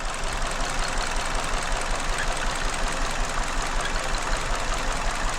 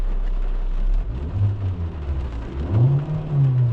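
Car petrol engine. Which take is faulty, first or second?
first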